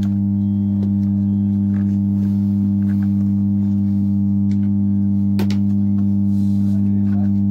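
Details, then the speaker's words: Amplifier with 4440 IC board humming along with the audio: a loud, constant low buzz sits under the music at the same pitch throughout. The small filter capacitor is being replaced as the fix. Amplifier mains hum. "दोस्तों नमस्कार आप लोगों ने देख ही लिए कि इसमें हमी की आवाज आ रही है और इसको कैसे दूर करें"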